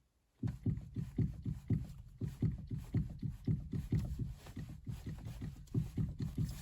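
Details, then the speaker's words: Steering rack knock on a VAZ (Lada) with stiff steering: dull, low clunks about twice a second as a helper turns the wheel left and right; knock most likely in the steering rack, also felt rocking the right tie rod. "Напарник у меня крутит руль и вот мы слышим вот такой стук вероятнее всего что стук в рейке"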